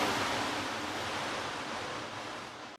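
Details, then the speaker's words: Washing machine after replacing worn square shock absorbers with crumbled seals with new round ones; steady, even rushing hum from the drum, which no longer jumps, with no knocking or banging; problem fixed. "Видите, такой плотно, как ведёт себя барабан. Не прыгает, не скачет. Всё, проблема решена."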